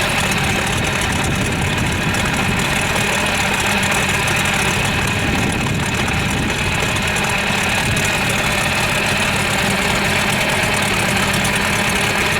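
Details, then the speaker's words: 1978 Hammond boat engine, sitting over 10 years, now running and warming up: loud, steady idle holding even with no misses or surging; goes into forward gear, though the tilt won't go down. "So, we got her running. She goes into gear, at least forward anyways."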